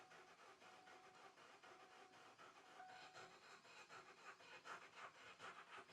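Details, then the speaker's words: Ford Expedition King Ranch that sat unused for a long time, started once and then died: slow, lopsided cranking with some strokes weaker than others. Mechanic suspects no compression in a portion of the engine; not confirmed. "But you can hear it. This thing's got no compression in a portion of that engine. You can hear the audibleness to it."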